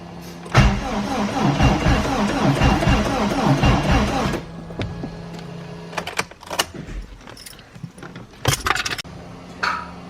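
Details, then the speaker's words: Turbocharged engine, first start attempt: starter turns over unevenly for about four seconds and stops without firing; slow cranking from a weak battery. "we can hear it starting the battery is still like kind of dead so we're putting it on the jump pack right now"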